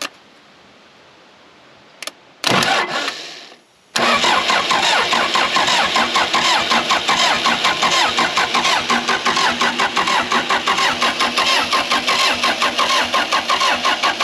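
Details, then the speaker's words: Case 450B bulldozer, fuel lines not yet connected: after a short clatter the starter spins the engine with quick, even compression beats. It turns over freely, better than it did at 10 degrees, but does not start. "Already way better. I'll cut to a scene of it rolling over when we came up here and it was 10 degrees out. So we might have a chance today if we can get some fuel to it."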